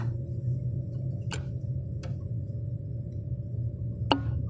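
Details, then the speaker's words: Chevrolet Cobalt secondary air injection system, new air solenoid activated by scan-tool test before installation: a few sharp isolated clicks over steady low hum; solenoid actuates normally. "si se escucha se escucha una activación ok"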